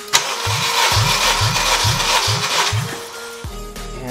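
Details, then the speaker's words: K20 engine, warmed up, no exhaust system, fuel pump fuse pulled for a compression test. The starter cranks at a steady, even rate with no misses. Readings are about 190–200 psi at five cranks and 220–225 psi at twelve. "five cranks we are looking at around 190 psi with 12 cranks I'm at around 220 psi"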